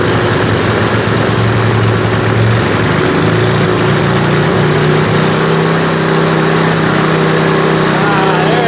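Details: 1970s Hahn Eclipse BHT-120 tiller, 3.5 hp flathead Briggs & Stratton, running on fresh gas after decades sitting and a carburetor clean: single-cylinder tone wanders up and down, hunting at idle; the air-fuel mixture needs fine adjustment and will drift with temperature.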